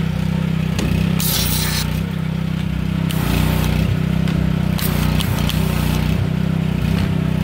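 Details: Kohler SH265 6.5 HP engine newly re-powering an old pressure washer (replacing weak Honda), test run with spray gun; strong steady drone, even firing, brief load dips as gun is triggered; normal healthy running.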